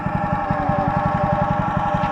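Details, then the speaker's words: Wacker WP1550 plate compactor running: fast even pounding about eight thumps a second with a steady mechanical drone over it; worn bearing suspected, replacement bearings on order. "I wonder if that's that bearing making that noise."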